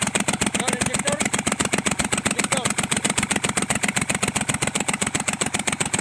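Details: Kubota L1-255 diesel, idle: sharp, even knock about 230 per minute over the idle, with white smoke; cylinder head fault, repair: replacing the cylinder head.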